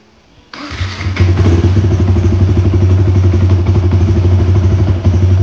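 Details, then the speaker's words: Motorcycle with 57Dome spec engine, after ECU remap base and TPS calibration: engine catches on the first crank and settles into a steady, even idle with a firm low pulse; starts normally, ignition timing slightly high. "Sekali start je okay, tak ada masalah. Timing tinggi sikit."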